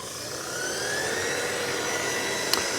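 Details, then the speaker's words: Variable speed booster pump filling a pressurized buffer tank, pressure rising from about 2.5 to 3.5 bar: steady whirring with a thin whistle shifting pitch as the pump slows near cut-off; normal operation. "okay the the pump is going about two and a half bar there we had about three ball and we can hear the pump is starting to slow as it's a variable speed drive one 3.4 bar 3.5"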